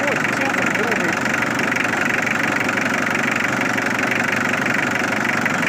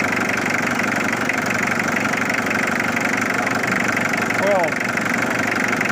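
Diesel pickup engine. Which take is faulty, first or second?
first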